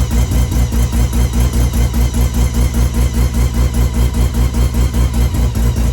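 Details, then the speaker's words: Car after a timing check: even, steady pulsing at about two and a half beats a second, no knocks or misses. Timing correct, revs up nicely, normal. "Timing is where it needs to be. It revs up quite nice, so pretty happy with that."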